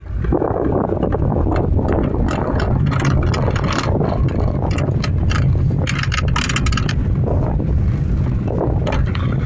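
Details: Honda Fit: irregular knocks and clunks over road rumble on uneven pavement, persisting after replacing lower arm bushing, shock mounting, tie rod end and stabilizer link; owners suspect steering column or a failed bearing.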